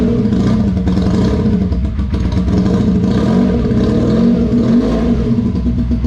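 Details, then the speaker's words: Honda VF motorcycle cold start without choke: busy multi-cylinder running with throttle blips, even firing, no knocks or misses, fairly loud exhaust; sounds healthy. "God damn it sounds good it's a little bit loud though I'm going to quieten it down just a tad"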